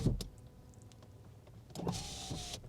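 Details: 1990s first-generation Ford Mondeo Mk1 museum car, key on, electric window operated from inside: short, smooth, even motor whine rising and holding steady under a second; power window working normally.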